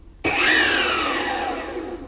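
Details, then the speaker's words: Electric skateboard with handheld remote and receiver, after re-flipping ESC connections that had only caused beeping: sudden start into a bright electric whine sliding smoothly down in pitch as the motors spin freely; normal acceleration, drive healthy. "So now hopefully this fixes it. Sounds pretty good."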